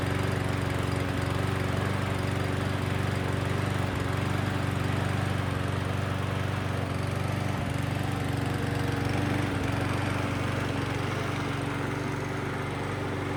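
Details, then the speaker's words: Huskee mower after carburetor replacement and new brake cable, previously wouldn't run from fuel damage, no choke; steady even single-cylinder drone with no misses, surging or knocks; normal running. "Cool, everything works great."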